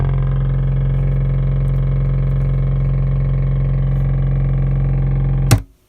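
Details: A deep, steady droning hum with a buzzy edge holds five seconds, then stops, from a 2-channel Mesa Boogie Dual Rectifier owned over 10 years. It rumbles whenever signal enters the input, even with volumes down; new preamp tubes didn't fix it; cause unknown.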